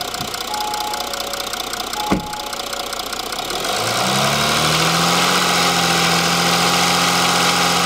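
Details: Audi engine: quiet idle, then revs rise and a fast, even metallic rattle about four per second appears in mid range; non-locked camshafts were previously found, buyer suspected engine damage/swap; source not yet traced.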